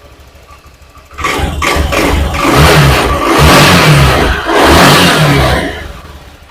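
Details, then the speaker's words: Honda Beat FI injected scooter, after an ECU reset and idle adjustment: the engine surges in rough bursts when the throttle opens, then sags and dies, repeatedly; compression suspected weak; stalls when throttle is opened. "mati kita coba lagi mati lagi ya"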